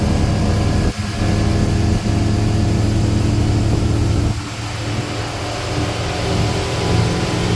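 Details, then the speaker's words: Volvo Penta engine in a Regal boat, after a leaking fuel injector was fixed and exhaust fitted, at wide open throttle: steady deep roar with no misfires or alarms, and temperatures are good. Normal full-throttle run. "running smooth and steady well so far so good temperatures are good sounds good we got no misfires no alarms nothing going on"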